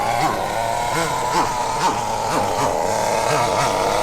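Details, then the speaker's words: Nitro RC buggy (MP9) with the mixture needle leaned too far during first-run setup: the high-pitched engine revs up and falls back in short whooping blips and won't pull cleanly, starved of fuel. Lean mixture bog. "Won't do it. That's because you've taken away too much food. It's starving."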